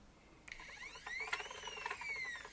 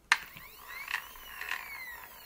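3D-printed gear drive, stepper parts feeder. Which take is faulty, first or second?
second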